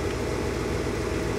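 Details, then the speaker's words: Car stereo at engine idle after fixing a ground loop by grounding the stereo directly to the amp and removing other grounds; no RPM-linked whine or hum through speakers, audio clean. "no more annoying hum so that's cool"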